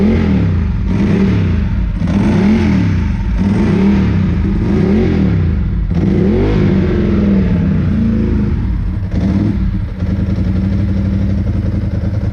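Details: 2002 Ducati 748 V-twin, first run after fixing the water-contaminated fuel tank, fuel sender and pump wiring, and fitting new hoses: deep steady lope with clean, even throttle blips and no misses, running healthy.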